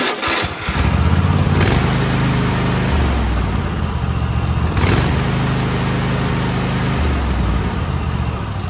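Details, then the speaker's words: Kohler KT735 7000-series twin: reference clip of correct running, fires and settles to an even, steady putter on both cylinders with no misses; the faulty 671-hour engine on a Cub Cadet SLX50 ran at half power. "now I'm going to put a clip in that shows what it's supposed to sound like"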